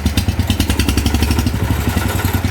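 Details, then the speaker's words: Wheel Horse garden tractor big-block Kohler single idling cold on choke with electric fuel pump: quick, even tinny clatter on every beat is loose hood sheet metal rattling, not the engine. "Don't mind the rattle, that's just the hood,"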